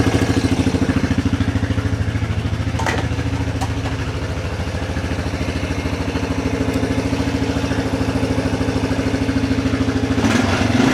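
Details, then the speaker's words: 1994 Yamaha Big Bear 350 quad, sat for years, running after repair, not yet warmed up: single-cylinder thumping about three beats a second, revs sag and hang before settling, slow return to idle; parts suspected to be just sticking. "You can hear it takes a little bit for it to come down. I think everything's just kind of sticking a little bit, but once we move stuff around, get it warmed up, we're going to take it for a quick test drive."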